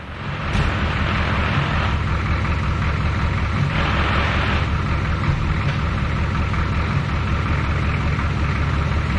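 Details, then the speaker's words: 1984 Ford F250 twin-turbo 6.9 IDI diesel after ZF5 swap with single-mass flywheel: rattle and grind from transmission at idle that stops with clutch pressed, returns on release; gear rollover, apparently normal. "So, we have a rattling and grinding noise coming from the transmission that stops once the clutch is pressed and starts back up again once the clutch is released."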